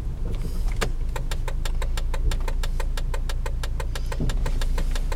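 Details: Volvo S60 while driving: a sharp, regular knock repeats about four times a second over low road rumble; source still unknown.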